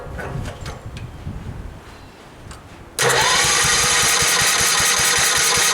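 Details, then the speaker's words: Gravely tractor with new aftermarket carburetor, ethanol-treated fuel, new battery; cranks quietly then catches and runs rough and uneven, sounding starved; owner suspects fuel delivery: fuel pump not pumping or debris. "Close, we're close. Alright, so I got it running, but obviously there's a problem in the fuel delivery somehow. Either the fuel pump isn't pumping, or there's some trash in there or something."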